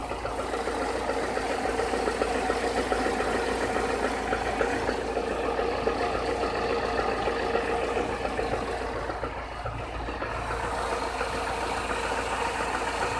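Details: Chevrolet Niva at 45,000 km idling: dull knock repeating three to four times a second under the engine noise, progressing since under 30,000 km; head replaced under warranty in 2017, source of the knock unknown.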